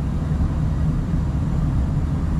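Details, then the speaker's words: Furnace after replacing a gas valve found leaking with a detector, exhaust pipe refitted: burner fires right up with a steady even low roar, no pulsing or sputter, before gas pressure set from 3.94 to about 3.5 on manometer; normal operation. "let me turn this on heat she goes she fires right up"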